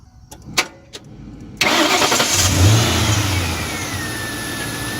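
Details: 2002 Mustang GT after radiator fan replacement (Dorman 620-139), AC on: clicks, then the engine catches and settles to a steady idle with an even fan whoosh, no rattle; earlier noise from a cracked, broken fan blade is gone.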